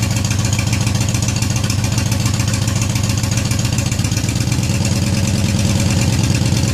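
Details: Yamaha Raider V-twin with newly fitted Cobra Dragsters exhaust (baffles in), recorded from behind, cold outside: steady, even lumpy idle at about three and a half pulses a second, deep note, no knocks or ticks, healthy.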